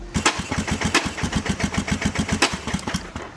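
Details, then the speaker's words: Mini jeep swapped to a 220cc engine with a custom turbo: uneven, lumpy chuffing at about eight beats a second that never settles. The engine-driven oil system feeds too much oil, which gets into the exhaust and makes it run rough. "So the oil gets in the exhaust and it just makes it run like shit."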